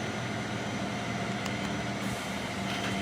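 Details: 2000 Fadal VMC 6030HT 5-axis mill, spindle commanded M3 at 500 rpm in low gear, two gear belts tight and maintained: steady even hum with constant tone, no knocks or rubbing; spindle healthy, no runout.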